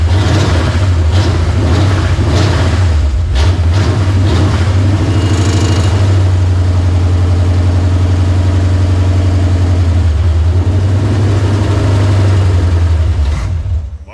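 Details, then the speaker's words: 1940 Plymouth with swapped-in ex-94 TBI truck Chevy 350 on carburetor, aluminum intake, headers, X-pipe, new HEI distributor; first start, catches, blips and settles into strong deep slightly lumpy run, flooded by poured fuel; healthy, strong. "well you got it boy look at that wow that thing sounds oh it's strong isn't it"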